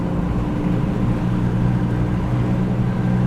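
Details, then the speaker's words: Car on the road at about 50–55 mph: steady low droning hum tracking road speed, goes away turning left; worn right front wheel hub bearing. "oh there's that hub bearing you hear it it's the right front yeah watch if I turn left it'll go away"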